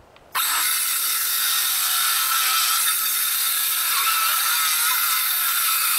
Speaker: You can hear it's alternated softwood with hardwood. The hardwood binds.